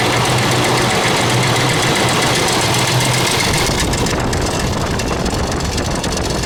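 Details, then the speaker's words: 2000 Ford Expedition 4.6 V8 at idle: constant fast uneven metallic clatter like marbles in a can, slack timing chain slapping against its housing. "you can hear this clickey clacky noise sounds like marbles in a can or whatever common chain is slapping against the side of the housing"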